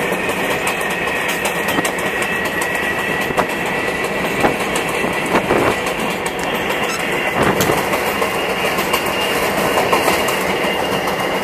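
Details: MTA R142A car 7686 on Manhattan-bound 4 train, onboard: rail clatter and wheel clicks over a steady high howl; traction motor howl, later fixed.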